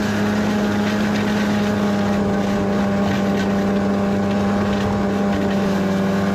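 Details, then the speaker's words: 1991 Arctic Cat Prowler 440 two-stroke snowmobile after revival: carbs checked, fresh fuel, throttle safety switch bypassed, earlier one-coil miss resolved. Steady, even drone while riding, no misses or knocks, some wind noise. Flawless after about an hour's riding. "all right so we put about an hour on her and she's performed flawlessly so we got a few little things to do to her yet but for now we'll call it good and she's running and driving really well"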